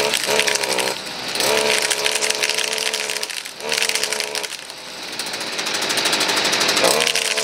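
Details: Stihl FS38 two-stroke grass trimmer, after carb adjustment and with trimmer line refitted (it ran slightly off without line): a crisp high buzz revving up and settling back cleanly with no stumbling. It runs properly.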